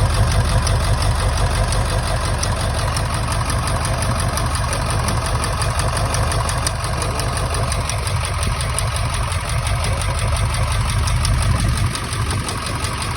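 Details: 1999 Ford F-350 7.3 Powerstroke diesel idling: lumpy uneven beat with dead-cylinder stumble; injector misfire, one injector showing no oil when tested.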